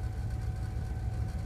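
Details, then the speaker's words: 2000 Dodge 3500 that hadn't run in 14 months, started during no-bus diagnosis, brake and ABS lights on: low heavy idle with an uneven lumpy pulse that wavers; runs rough, owner fears it will die soon. "it sounds like it's gonna give out soon"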